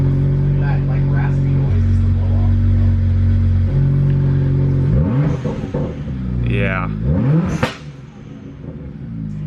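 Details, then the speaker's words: BMW 1M with OEM downpipes refitted: revs climb and fall repeatedly, with a raspy hiss as the throttle closes. Most of that noise is the blow-off valve venting, which is normal. "Most of that noise is coming from the blow off."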